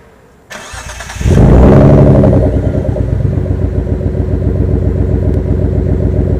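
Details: V6 engine cranking to a lumpy idle with an uneven exhaust chuff and no power. Coils, plug leads and spark plugs were checked and found fine; owner suspects the O2 sensor, knock sensor or power transistor. Misfire, cause unknown.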